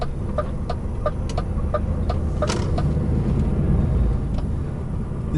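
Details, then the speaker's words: Diesel truck with a trailer manoeuvring: heavy rumble with short, repeated chirps every few tenths of a second. The trailer tyres are scrubbing and squealing. "trailer does not have a tendency to lean on the tires you can hear him squealing all the time"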